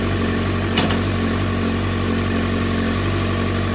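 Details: 2007 Suzuki GSX-R600 after CDI/ECU replacement, cables disconnected: steady, even idle with a smooth low thrum and no misses or knocks; bike idling normally on its own.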